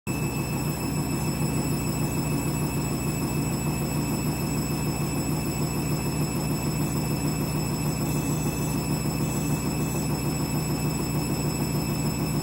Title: Candy Washing Machine New Clothes final spin ramping up strange noise #youtubeshorts